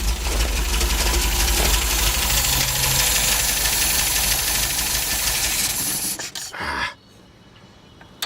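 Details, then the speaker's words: Old Ford running with choke overridden, 60 lbs oil pressure: loud engine with an uneven, lumpy beat of about three pulses a second before cutting out; rough idle, cause not yet found. "you don't sound real happy but it's running I'm having to override the choke"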